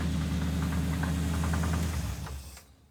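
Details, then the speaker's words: Engine with rod knock, restarted after a pour-in oil additive and thicker oil: it cranks slowly, then gives low, uneven thumping about four times a second under a rough note, fading as it shuts down. The thicker oil quieted it but the knock remains; the engine was later declared junk. "we're going to find out if we fix the rod knock with the pour in sauce ready yeah go oh it's even cranking slow there we go no the thicker oil quieted it down but that's coming"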